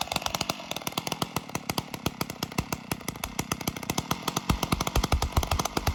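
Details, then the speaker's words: 056 AV Super chainsaw, reassembled without muffler and running on choke: fires in sharp, crackling open-pipe bursts at fast idle with no clank; earlier strange rattle absent, only a slight plasticky rattle attributed to the starter. "i don't think it's doing it there's a slight uh slight plasticky rattle but i believe that's the starter"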